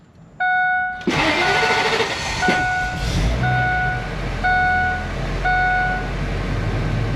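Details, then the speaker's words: RV with a no-start problem, after a ground was added and fuel pump suspected: engine cranks and catches about a second in, then runs unevenly under repeating warning chimes; starts but sounds rough, cause unclear. "like I said it sounds funny but it starts not sure if that ground helped it or not but it's working"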